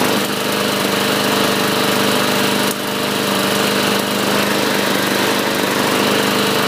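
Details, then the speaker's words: 2014 Murray 500E 22-inch mower with 5 hp Briggs & Stratton engine, after carburetor cleaning, new air filter and used recoil: steady, even small-engine drone with no misses or surging; normal running. "great sounding machine this should sell rather quickly with the high rear wheels it's just your basic 22 inch cut with the five horsepower briggs and stratton engine"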